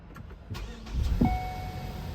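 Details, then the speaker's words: 2015 Ford Escape after fixing a no-start with no OBD2 communication: short crank catches at once and settles into an even idle under a door chime; normal start and idle. "starts right up"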